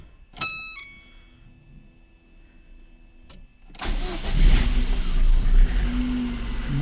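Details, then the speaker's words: VAZ 2115 1.5 petrol, after fixing hard start caused by alarm immobilizer blocking the fuel pump after battery disconnect: few clicks and chimes, catches first try into strong even idle; some piston noise, no misfire. "конечно блок уже шумноватий тарабанять поршня але ну нічого не троїть не рдить все працює все хорошо"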